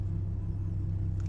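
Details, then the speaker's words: BMW E36 M43 with the idle control valve set to the owner's marked position, engine still cold: a deep, steady low rumble with no hunting, dipping slightly when the AC engages. Normal, stable idle. "Tapi ini benar-benar masih ok lah. Bisa di 800 di bawah jalan pun masih enak."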